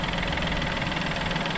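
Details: Peugeot 2008 after a wet timing belt change, with an engine fault code logged from cranking: a smooth, even idle with a steady low beat and no misses or knocking; running perfectly.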